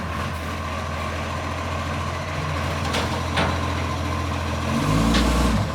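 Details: Brisbane garbage truck diesel at idle: rough low rumble with a sharp, rapid puffing chuff that gets louder as revs rise; a blowing exhaust leak.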